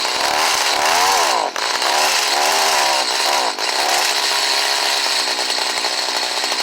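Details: Stihl HS45 hedge trimmer, which intermittently wouldn't start cold, started on choke and low on gas: crisp high two-stroke buzz rising and falling smoothly with throttle blips, then steady; running as it should.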